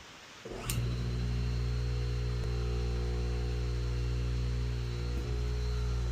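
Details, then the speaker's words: 1 hp 3450 rpm GE table saw motor after replacing 6203 bearings and rewiring: spins up from silence in under a second, centrifugal switch clicks, then clean, steady, even hum; normal motor start. "Oh, that sound that that's perfect. Yes. So, you can hear the click of centrifugal sentry fugal switch. You can hear it click in and you can hear the nice buzz."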